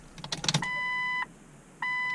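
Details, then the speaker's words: Jeep Cherokee XJ fuel pump priming after installing refurbished 4-hole injectors: two steady half-second whines at unchanging pitch with no end strain; pump never reaches backflow or builds pressure, so injectors and lines are to be checked. "Now we're probably gonna have to go outside since the fuel pump doesn't seem to be reaching an end for its priming, where it reaches that backflow and you can hear that strain on the fuel pump."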